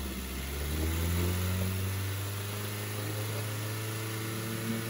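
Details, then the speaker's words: 2012 car being checked for radiator coolant loss, revved by throttle: a steady, even engine note climbs smoothly and settles back, with no ticks or knocks. Healthy normal revving. "biar oke suaranya 2012 masih seperti ini guys"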